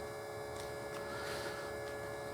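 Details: 1956 Volkswagen Beetle oval window rag-top, fuel pump with Italian regulator for Weber carburettors: steady, even electric hum of constant pitch, no surging or rattling; pump running normally, gauge reading almost 5 psi, within 3.5–5 psi spec.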